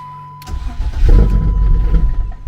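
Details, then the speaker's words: Turbo BMW E36 that runs lean, cranked with the MAF unplugged: starter churns with uneven rumble but never catches; cranks but won't start now. "yeah it won't start at all now so it runs with no map plugged in right now"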